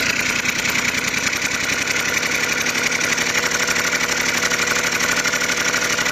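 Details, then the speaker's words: Honda NH80 Vision two-stroke scooter, first start during restoration; quick, even, crisp idle buzz with no misses, and the oil pump is confirmed working. Normal idle. "what a result right as you can hear she's running nicely and the best part is the oil pumps working"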